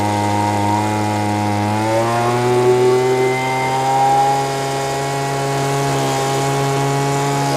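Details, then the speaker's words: Lesco handheld two-stroke leaf blower that bogged and wouldn't rev because it was starving for fuel at high speed. After the mixture was richened, it gives a steady high buzzing note that climbs smoothly, with visible smoke, now running slightly rich. "You can see by the smoke. I don't know if it shows up well on camera, but yeah, he has got plenty of uh mix in there."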